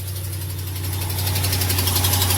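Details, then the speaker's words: Ram 1500 Hemi V8, first thing in the morning, cold start: fast, sharp ticking over a deep idle. It sounds like the Hemi lifter tick but is an exhaust manifold leak from a broken stud, and it disappears once warm. "Y'all hear that, ladies and gentlemen? That is a tick. But it's not."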